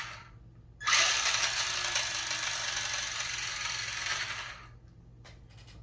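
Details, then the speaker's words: RC car on 2S battery, plastic gear setup, drivetrain spinning up: hissy high-pitched whir with uneven ticking; owner suspects spur gear rather than plastic gears, gear clicking not confirmed. "Sounds like a spur gear. I don't think it's my plastic gears."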